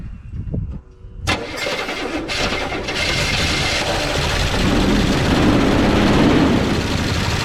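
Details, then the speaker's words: 1969 Chevy C10 engine with an oil pressure problem, started with carb cleaner after slow cranking; gauge shows little pressure. Fires and settles into idle with a constant loud metallic rattle; low oil pressure suspected. "it's rattling a lot. I did see some movement pressure coming up that line. Not a whole bunch, but it did move."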